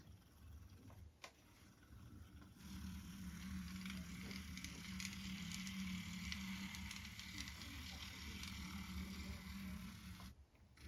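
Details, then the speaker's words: Bachmann Spectrum 44-tonner locomotive, dual motors, converted from DC to DCC with TCS MC4 decoder, on test track: small motors hum with steady low whir and light gear chatter, running evenly; normal running. "so show how she's running which is pretty good"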